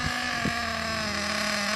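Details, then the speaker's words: Ansmann Virus 2.0 Big Block RC car with a .28 nitro engine on its first drive after run-in, light throttle and slow turns: a high buzzing note that is soft and burbly, not crisp. It is running rich, over-fuelling and not yet tuned. "it's still running really rich it's still not tuned in properly yet which we're not ready for it to be done if you can hear it it's over fueling"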